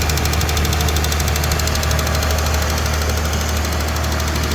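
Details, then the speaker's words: Mazda 323F V6 first start, cold, after packing battery terminals: loud fast sharp ticking over a loud high idle, not hunting; sounds like valvetrain tick but source unconfirmed. "so let's see if it starts [Music] tick is very loud it's cold or"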